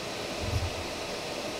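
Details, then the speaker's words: Pressure canner, vent just beginning to release steam; soft steady hiss with faint sputter as droplets spurt out, not yet the steady stream that starts 10-minute venting. "can see a little bit of steam is starting to come out and droplets of water are kind of plopping out the top of it kind of spurting out"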